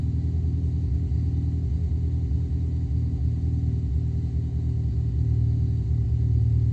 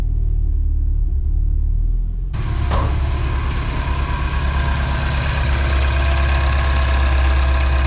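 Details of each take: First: Mini R56 petrol engine on cold start idling with a deep, uneven, lumpy beat; diagnostics show misfires all on cylinder 3, coil and plug swaps ruled out, injectors suspected and cleaned, rebuilt and replaced; cylinder misfire. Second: Mini R56, first start after ultrasonic cleaning, overhaul and partial replacement of the injectors to fix a cold-start misfire: the starter cranks briefly because the fuel line is empty, then the engine catches and settles into a steady, even idle with no stumble or misfire.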